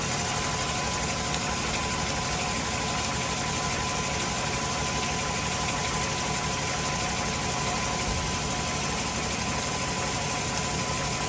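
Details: 1996-2000 Chevy Tahoe V8 just after replacing the crank position sensor, starts right up with no codes: even, continuous idle with steady hum, no misses, stumbles or knocking.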